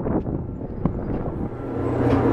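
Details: Hobart 4346 commercial meat mixer-grinder, one-owner, dealer-serviced, on three-phase via converter, in mix-and-grind mode; after some clatter the motor settles into a steady even hum, no grinding or knocking; runs smoothly.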